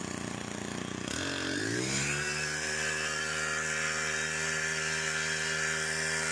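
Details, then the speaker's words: STIHL FC 90 edger after general service and carburetor adjustment (low side set, then high side): small two-stroke revs cleanly and holds a steady, even high buzz, vibration gone; running smooth and healthy. "Let's go high side. That sounds nice."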